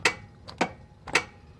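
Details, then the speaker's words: EZGO RXV golf cart with dead battery or no power: harness unplugged and pin 3 jumped to pin 1, giving three sharp clicks within about a second; electric parking brake releasing so the cart rolls free. "Just plug 3 into 1. And then you can hear the brake release."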